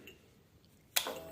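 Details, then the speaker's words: Royal Enfield Himalayan Euro 5 motorcycle at switch-on, a click then a steady thin electric hum; normal fuel pump priming, no priming suggests a failed fuel pump relay in the under-seat relay bank. "that noise that noise so that's your fuel pump priming and if you are turning the bike on and that's not happening that's that's your fuel pump sense relay generally or it seems to be"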